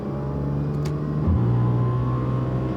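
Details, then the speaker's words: Audi S4 with 3.0 supercharged engine and test pipes, before fix: harsh raspy drone climbing with revs in fourth gear at low RPM, loud and obnoxious; exhaust rasp later cured by fitting a Magnaflow resonated X-pipe. "If we were to compare that sound to what it used to be, raspy, full rasp."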